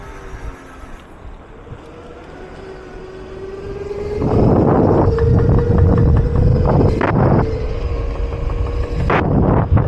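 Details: Schwinn Hurricane electric bike with 14-inch wheels on its first ride: under wind rush a steady mid-pitched whine rises slightly with speed, coming from the rear hub motor area; rider suspects the rear brake needs adjusting.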